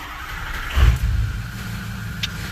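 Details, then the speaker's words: 6.0 Powerstroke diesel truck after replacing both fuel filters and cycling the key three times to purge air: a quick crank, then a steady, even low idle with no stumbling; it may hiccup if air pockets remain. "See, runs just fine. Your truck might hiccup here and there, depending on how well the fuel system is purged of air."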